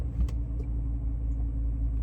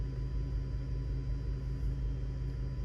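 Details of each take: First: Audi D3 S8 V10 at warm idle after misfire repairs; fault usually appeared under load in the mid rev range. Smooth steady low rumble with no dips or stumbles, faint key jingle; normal idle. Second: Audi D3 S8 with the V10, after a 30% throttle pull on the freeway; scan shows random multiple misfire, cylinder nine. Low lumpy idle with an uneven stumble.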